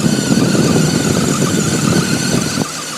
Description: 2002 BMW 530i, has a high pitch whining noise on a cold start. Happens occasionally.